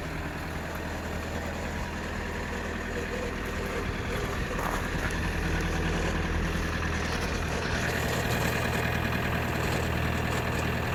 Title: Toyota Corolla E120 2.0 D4D 85kW cold start strange noise